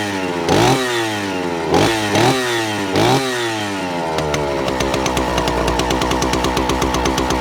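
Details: Vintage Stihl 041 Super, just over 70 cc, started cold: several sharp, clean revs that snap up and drop back, then a steady crisp idle; strong and healthy, normal running.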